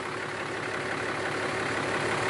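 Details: 2012 Ram 2500 Cummins diesel idling after fuel filter change (Fleetguard FS43255): steady, even idle with light clatter, no stumble or hunting; sounds healthy.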